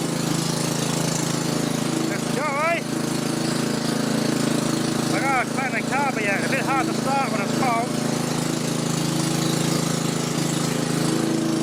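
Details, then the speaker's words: Restored Victa 526 two-stroke mower with a redone spindle and new bearings: steady, even drone with no misses or knocks; runs smoothly. "all right now but it did sound pretty good"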